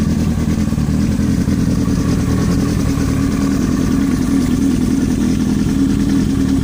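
Busy, clattery rattle rides over the engine as it idles and revs; there is a knock in there, but the cause can't be pinned down.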